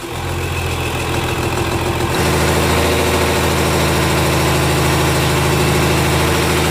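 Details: Komatsu S6D125 diesel on test run after general overhaul (broken No.5 piston, spun No.4 conrod bearing; crankshaft, liners, pistons, conrods, bearings replaced; turbo repaired, FIP and nozzles calibrated); deep even rumble stepping up in speed, staying smooth; normal running.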